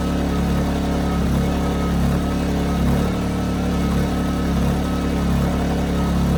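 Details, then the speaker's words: Ryobi RYI2300 inverter generator, 15 months old, under about 400 W light load, auto idle on or off: engine swells and dips roughly once a second instead of holding steady; surging. "so that was it the 400 watt load was causing it to surge with the auto Idol on and off which is interesting to me"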